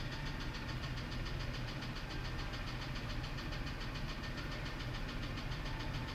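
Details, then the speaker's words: Ford F-150 with 180,000 miles: rough, uneven idle with loose irregular ticking, sounding like valvetrain noise plus a misfire; scan shows P0325 knock sensor code, cylinders two and six suspected in power balance; cause not confirmed. "almost sounds like B train but it also has a misfire as well"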